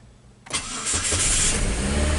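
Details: 2003 Saturn Ion right after fuel filter replacement, fuel pumped up first: starter cranks briefly and the engine catches at once, settling into a steady, even idle with no misfire or stumble.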